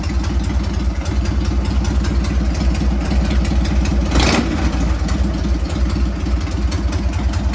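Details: Harley Sportster 883-to-1200 conversion with new Wiseco pistons, rings and cylinders, first start and heat cycle, 79 degrees, 105 on the pipe, in neutral: even loping V-twin idle with a clean rev blip, no smoke; normal running.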